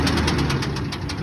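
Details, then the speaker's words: 2001 Ford F-150 Lariat at a towing auction, jump-started with its key, run and moved backward and forward; steady idle with a regular rapid knock at engine speed that quieted down a little but remained. Engine knock at idle. "Has the key to it. Started up with a jump. Hear the knock in it."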